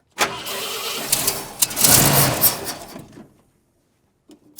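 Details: 1972 Ford F250 camper special, 66k miles, parked since 2007, with a rebuilt carburettor, new fuel pump and inline filter: steady starter churning for about three seconds with no firing; cranks but won't start, and fuel is not pumping, suspected fuel starvation.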